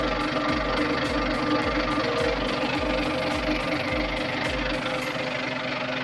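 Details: Volvo TWD121 stationary 6-cylinder turbodiesel after fixing a loud knock by replacing one intake valve and a gasket set: steady running with even low thumps at a regular beat and no loud knock; normal running after repair.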